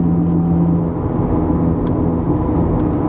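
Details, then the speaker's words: Ford Falcon XR6 on the road at about 60 km/h: a steady low whir, clearly not tire noise, builds toward 80 km/h, vanishes on left turns and stays on right turns, pointing to a worn wheel bearing hub. "I'm at sixty yeah you really start to hear the whirring sound that's definitely not the tire noise"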